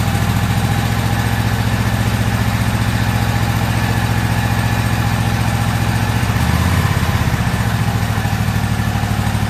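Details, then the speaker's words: Toro zero-turn riding mower, about a year old, after new spark plugs: loud, low, uneven twin-cylinder idle, settling somewhat but still rough; pulling the choke slightly for extra fuel made a difference. "what I was doing there is pulling the choke out just a little bit just to see if a little extra fuel to help it smooth out it did make a difference"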